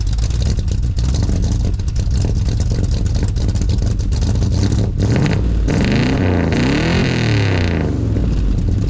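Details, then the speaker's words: 1983 Ford with rebuilt 351 (5.8) V8, dead cold start with no heat in the engine: V8 lopes unevenly and surges between throttle blips, won't hold idle until warm; rough cold idle. "she does not like to idle until she's warm"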